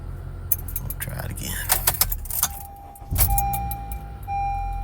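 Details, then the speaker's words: 2013-2017 Honda Accord 2.4 Earth Dreams, about 370,000 miles, after replacing the cam chain tensioner for a cold-start rattle: keys jingle, engine catches cleanly into a smooth idle with no rattle; normal start after fix. "butter excellent that's what we want right there"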